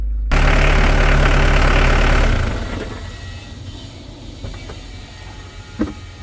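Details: Mitsubishi Pajero turbodiesel, near operating temperature after valve cover gasket, alternator replacement and oil change (Motul), charging reads 14.2 V: steady, even low idle for a couple of seconds with no knocks or misses, then fades; normal diesel idle.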